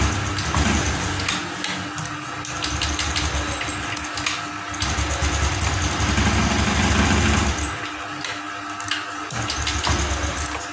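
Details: Fuel-injected scooter after two non-original injector swaps (Vario 150, then Beat FI 2014): it still pops and stumbles with irregular misses that won't settle.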